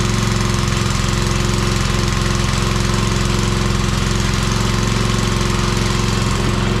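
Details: Old Briggs 5 hp single-cylinder on homemade wood splitter, run without air cleaner, little fuel added: fast, uneven pounding beat with wavering speed, surging; owner suspects it's running out of fuel.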